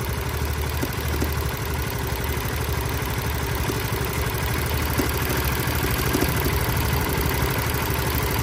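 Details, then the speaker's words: Winner motorcycle at 100,000 km, in for engine service: steady idle with light uneven clack about three a second over low rumble; strange clacking noise, source unclear; original radiator also found leaking coolant. "Hiện tại thì chúng ta sẽ nghe được cái âm thanh của máy nó có những cái tiếng kêu lạ"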